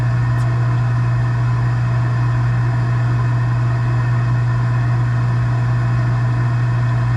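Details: Gas package unit, newly replaced draft inducer motor (old one was extremely loud, like a lawnmower), during heat call: steady constant-pitch low hum, no rubbing, rattle or bearing noise; inducer runs smooth.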